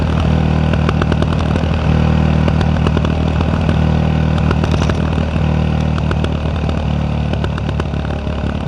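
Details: Yamaha WR125X with Arrow exhaust: loud single-cylinder idle burble with scattered sharp pops and crackles; exhaust misfires/backfiring.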